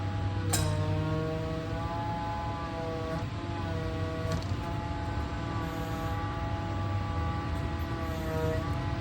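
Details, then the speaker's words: Volvo electric mini excavator powering hydraulics on via button and joystick: steady electric motor hum with a bright whine rising at each start, settling to an even pump drone; normal hydraulic pump running. "Hydraulics are live."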